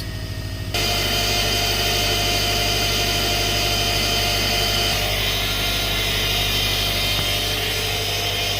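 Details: 2007 Subaru Impreza 2.5i just after power steering pump replacement and belt tightening: even idle with a thin steady high whine that never fades, still same noise as before; cause unknown, owner wonders if belt needs loosening.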